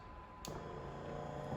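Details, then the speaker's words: Sherpa SXMD16E cordless knapsack sprayer: switch click, then a soft steady low pump hum, running evenly and growing more intense as the speed dial turns clockwise; normal start. "you'll feel a click when it turns it on, and you'll hear the pump start. And you can hear there as I rotate it clockwise, the pump gets more intense."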